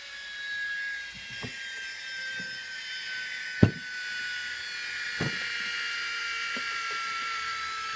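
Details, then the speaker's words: Air Hogs Wind Flyer tethered plane, 2.7 V 10 F supercapacitor charged from lithium-ion battery, wired directly to motor: thin steady high whine with handling clicks, motor spinning without driving the propeller; a gear spinning or slipping is suspected. "you can hear a motor spinning without the propeller while she's really annoying"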